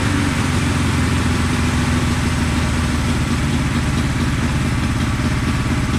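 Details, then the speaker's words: 1974 Honda CB450 twin, sat for a couple of years after restoration, gives a rough, uneven idle with ragged pulses and spitting through the carbs while throttle is held for a timing-light check; ignition timing is about 20 degrees off (retarded). "I didn't have time to mess with it last night but the timing was way off like probably 20 degrees off"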